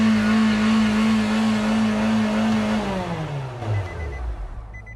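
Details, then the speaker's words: Car reported to take off on its own with accelerator not slowing down: engine holds a high steady rev without throttle input, then winds down smoothly to idle; floor mat was jamming the gas pedal. "oh I already figured it out boys I already figured it out it helps if you don't put your your mat there on you God gas pedal"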